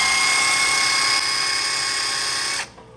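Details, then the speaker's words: Fiat Fire 1.0 engine, 2010 Uno with automatic tensioner, idling with alternator belt removed: steady high bearing whine persists, worn water pump bearing at engine front; alternator bearing previously replaced, still noisy; water pump replaced. "não sei se no vídeo vai ser possível ouvir mas é audível um barulho de rolamento assim como um barulho como se fosse Correia esticada"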